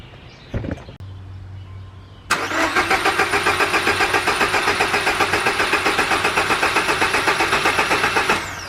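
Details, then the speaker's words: Subaru Legacy GT first start after engine reinstall with new main seal (ringland fix): quick click, catches at once, even fast idle; runs well, though coolant line left disconnected leaked and AC belt seems loose. "i think it's running good i think we're gonna be all right"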